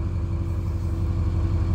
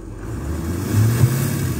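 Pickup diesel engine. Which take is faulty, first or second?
first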